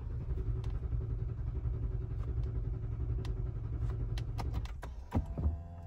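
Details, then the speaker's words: Lexus LX570 right after flashing the factory/base calibration with VF Tuner, errors still showing: steady low starter rumble for several seconds with no catch or firing; cranked and cranked, nothing started; it started on the next try after switching the ignition off first. "okay that just cranked and cranked nothing started"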